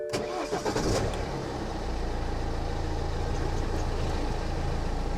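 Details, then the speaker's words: Car engine starting and idling right after a DIY oil and oil filter change, ignition primed first; brief crank, quick catch, steady even idle; much smoother than its recent chuggy running, normal. "I'm not kidding you guys, that sounds way smoother than what it has been recently. It's been quite chuggy recently and not sounding great. That sounds really, really smooth once again."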